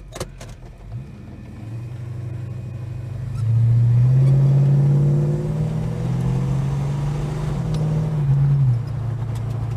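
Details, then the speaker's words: Holden HK after ignition coil replacement: smooth, even engine note swelling cleanly on throttle blip and settling back, no tick; previous ticking now gone, though coil buzz remains. "So there's no ticking anymore. That is done. The ticking's finished with, so whether it comes back and does damage"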